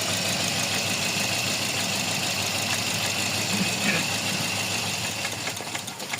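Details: Toyota Vios with code P0354 at idle: idle hunts and stumbles with an uneven, loping beat instead of a steady hum; one cylinder dropping out, number four misfiring, ECU coil/injector #4 signal being checked.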